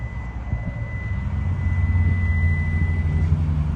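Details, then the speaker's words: 2022 Hyundai Palisade Calligraphy, 27k miles, engine running: steady high-pitched warning beep over low idle rumble because the smart key is out of the car in a pocket. "so you can hear it beeping it's beeping because the key is actually in my pocket and I have the vehicle running still"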